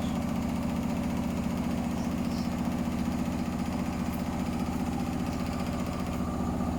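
Low heavy rumble with a rhythmic throb about two and a half times a second; the drum is spinning badly off-balance.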